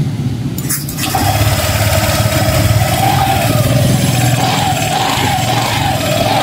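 Engine catches after a short crank and settles into a steady, even idle with a light putter; runs normally.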